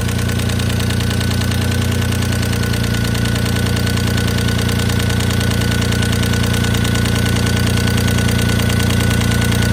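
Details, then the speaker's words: Dodge Stealth, first start after replacing the lash adjusters, which were not yet primed. A steady idle with an even, light top-end ticking; oil pressure is good and the bottom end is ruled out. The new adjusters are expected to pump up, otherwise another cause is suspected. "might take a little while for those lifters to puff up we'll see hopefully they do if not then I've got something else making this noise"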